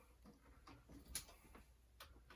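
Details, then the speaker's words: Commodore 1541 disk drive, yellowed secondhand unit, on a load attempt: faint irregular ticking and knocking as the head bangs repeatedly without reading while the light flashes; head cleaning planned, cause suspected, not confirmed. "And it will go bang, bang, bang, bang, bang. And it will do nothing. It will flash."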